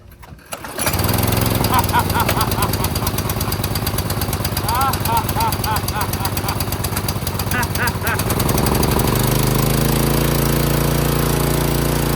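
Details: Craftsman pressure washer with a Briggs & Stratton engine, refuelled after its tank leaked dry and the clogged bolt hole was cleaned: it catches within a second and settles into a steady, even chug with no misses or surging. Running normally.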